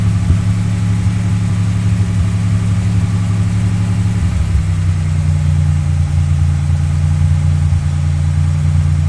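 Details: 1997 Chevrolet Malibu petrol engine held at slightly raised revs with an uneven stumbling beat about three stumbles a second; bad misfire, cause unknown, barely audible at idle but clear when revs rise.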